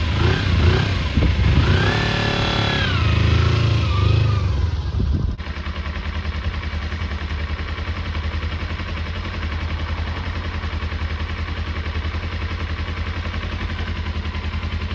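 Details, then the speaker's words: Kawasaki Eliminator EL250 twin motorcycle during restoration, started for the first time that day on fuel reserve with choke off: steady, even idle with a soft regular beat and no knocks or misses; sounds sweet, nearly MOT-ready apart from brake light switches. "Seems absolutely sweet. Pretty much ready for MOT, but just need to check the brake switches, yeah."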